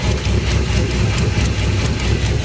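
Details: Squatted Tahoe with swapped 6.2 L V8, cathedral port heads, large throttle body, TSP cam, on jump box; deep V8 idle with loud uneven rumbling and whooshing, smoke noticed from dipstick tube; source unidentified.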